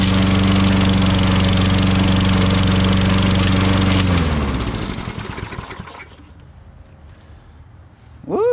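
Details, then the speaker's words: Old Toro lawnmower that sat unused for years, started with fresh fuel. The single-cylinder engine fires right up and runs with a steady, even beat for a few seconds, then winds down and stops; runs normally. "fired right up oh yeah that's it folks"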